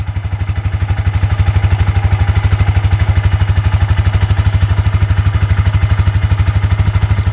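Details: Suzuki Eiger 4x4 ATV after replacing the drive belt, the fault all along; owner suspects a wrongly fitted metal gasket chewed the old belt. Strong, even thumping with no slipping, knocking or chatter through forward, low, high and reverse; normal running after repair.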